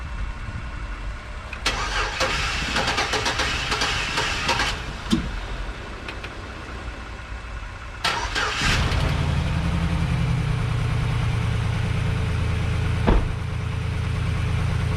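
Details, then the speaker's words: 2011 GMC Sierra 1500, 110,000 miles, with a junkyard replacement V8 first started with the alternator unhooked: sluggish, labored cranking in two tries from a weak battery before it catches and settles to a steady idle. "it's gonna run, but you hear how I was cranking it really slow. So if that alternator ain't hooked up, it ain't gonna charge good."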